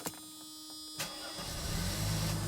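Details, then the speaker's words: 1990 Mercedes W126 300SE gasoline, not run in over four years, fuel reaching injection, ignition untouched: key click, brief crank, catches within half a second into a smooth, even idle with good oil pressure; healthy start. "wow can you believe that has not run in 4 years it actually sounds pretty good I've got good oil pressure"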